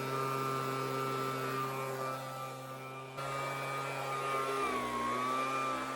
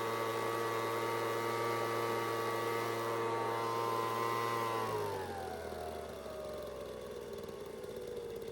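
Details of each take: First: Homelite two-stroke leaf blower, untouched before repair, run on medium with choke on: buzzing pitch wanders and sags, RPM fluctuating, bogging or rising when tilted; owner suspected air leak, cause fuel starvation from broken fuel line and clogged carb screen. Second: Homelite two-stroke leaf blower (high/low/off switch, no throttle): holds a steady high buzz, then drops cleanly to an even idle without stumbling; runs healthy.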